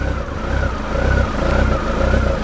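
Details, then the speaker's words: Honda CB1300 four-cylinder after complete rebuild, first start: idle swells and sags every half second, rev counter bouncing as if avoiding stalling; idle speed may need raising, ABS light on, coolant hose leak found. "She does sound like she's hunting a little bit. When you look at the speedometer, when you look at the rev counter, it is bouncing. As if she's trying to prevent herself from stalling."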